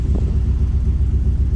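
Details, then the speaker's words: 1985 Chevrolet C30 crew cab dually with swapped 6.0 LS-based engine, after a new cheap fuel pressure regulator: deep, lumpy idle pulsing about eight times a second with uneven beats; owner suspects the regulator, unconfirmed. "Not a good start. Yeah, I think that fuel pressure regulator is no good either, but not as bad as the other one."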